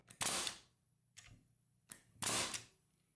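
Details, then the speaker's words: Porter Cable FN250C 16-gauge nailer after repair, failed wax O-rings replaced with regular rubber O-rings, test-fired on air: two sharp, crisp shots with a short hiss after each and no leak between; firing properly. "we got it working so I'd love to know the engineering of why they used wax O-rings in there"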